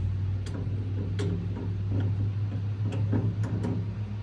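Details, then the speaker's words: 1992-ish Cushman Truckster, key on after no-start: irregular sharp crackles and snaps over a low steady hum at the battery, spark lost; owner suspects the ground connection; electrical crackling, cause not confirmed. "Why do I got nothing now? I hear something crackling back at the battery. That ain't good."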